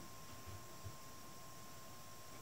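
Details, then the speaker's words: Monitor fed from a laptop in a quiet room: thin, steady high squeal at one pitch while the monitor is dimmed below full brightness; no squeal at 100 percent brightness, where only hard-drive noise is heard. Cause suspected, not confirmed. "слышите писк это пищит этот монитор но я думаю что а вот на 100 процентах ничего не пищит"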